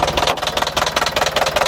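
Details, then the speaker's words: Iveco 35-8 diesel van: sharp, rapid heavy metallic knocking over a rough idle. It started suddenly with a loud clack while driving cold; the owner suspects a spun connecting rod bearing, unconfirmed. "Ah, c'est pas un très beau bruit ça."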